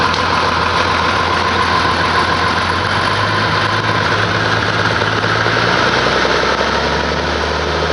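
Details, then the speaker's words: 1850 diesel tractor idling after a rebuilt injector pump was fitted and a new cam-gear key installed (old bolt had loosened, gear chewed the key): starts very easily, but steady clatter with an uneven hunting beat; owner suspects valves or pump adjustment, unconfirmed. "[Music] but you can kind of hear it's not exactly right and it's kind of i'm wondering about the valves right now"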